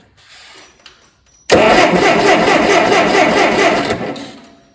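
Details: Allis Chalmers D17 engine on its first start attempt in the chassis, with spark at dirty, not-new points being checked: quick, even starter churn for a couple of seconds that never catches, then winds down; cranking no-start.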